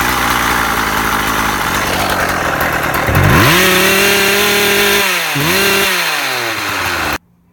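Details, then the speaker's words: Husqvarna 36 chainsaw just repaired (impulse piece suspected at fault), warming up outside, may need tweaking: crisp two-stroke buzz rising sharply on throttle, dropping and climbing again before shutoff; normal warm-up idle and revving. "So I'm gonna take this out, and I'll bring you guys out too, just so you can see me warm the old girl up."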